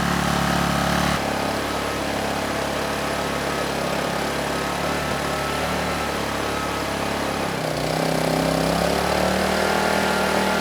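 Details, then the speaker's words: Honeywell HW2000i 2000 W inverter generator (2002 engine), hard-starting but running well once started: steady even hum shifting pitch smoothly as a 1500 W load comes on, no surging or hunting; frequency and voltage rock solid. "once it's running it runs very well it has no issues handling a 1500 watt load the Herz and the voltage are rock solid"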